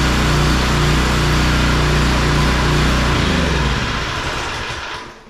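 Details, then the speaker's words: Small single-cylinder pressure washer engine after carburetor work, with the air filter now fitted, earlier slight idle surge gone; runs steady and even at about four beats a second before shutdown; normal smooth running. "Alright, so that sounds better still yet, and so I think we're ready to hook this up to some water, and we'll see if it'll spray."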